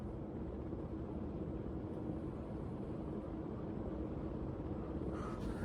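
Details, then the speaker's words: Casablanca Concentra ceiling fan on a variable speed control, turned up to full speed: a soft, steady rush of air with a faint even motor hum and no ticking or wobble, moving a good amount of air and running normally. "Moving good amount of air, surprisingly."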